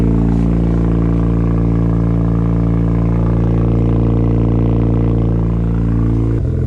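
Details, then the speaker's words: Mazda RX-7 FD turbo rotary with newly installed engine, idling right after first start, heard from the rear: steady, smooth low burble with fast, even pulse and no knocks or rattles; healthy idle. "Got the car running, all in less than 1 day. Good work, Scotty. Hell yeah, man. RX-7's back."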